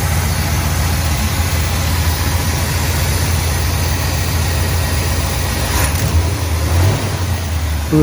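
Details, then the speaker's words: 1966 Pontiac Grand Prix barn find, first start after sitting since 1992: low, loping, shaky idle with slight stumbles; owner thinks ignition timing may need advancing and suspects a stopped-up fuel filter, as contaminated fuel was found. "little shaky I might need to advance that a little bit"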